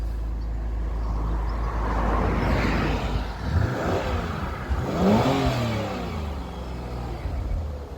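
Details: 2004 MG ZT-T+ 180 V6 after misfire repair, unplugged coils replaced: smooth even revs rising and falling cleanly from idle, no stumble or miss, no engine management light; normal engine revving.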